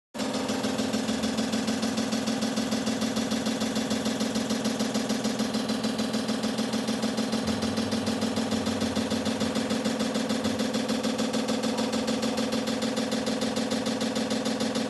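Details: LG washing machine that is knocking, not draining and not spinning: steady knock about once a second as the drum turns, curtain hooks trapped in the drum, drain hose and filter.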